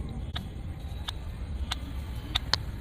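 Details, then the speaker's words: Bluetooth speaker, loose body, switched on while plugged into charging: sharp irregular pops and crackles a few per second over a quiet background, absent when off. Popping/crackling noise, cause not yet found. "देखिए पटपट जो है यह आवाज आ रहा है है ना जबक य ब्लूटूथ ऑन है ऑफ में तो नहीं आएगा पर ऑन जब करते हैं तो यह पटपट आवाज आता है"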